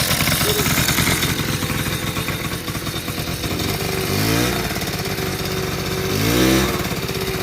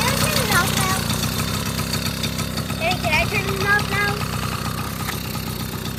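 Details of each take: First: 1980 Honda Express II two-stroke scooter, after cleaning a clogged carburetor with no fuel filter: buzzes fast and won't settle to idle, swelling higher twice; runaway idle, air leak suspected, idle circuit rechecked. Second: 1980 Honda Express II two-stroke scooter: putters at an even, steady idle of roughly three pulses a second without stumbling; starts right up and runs fine.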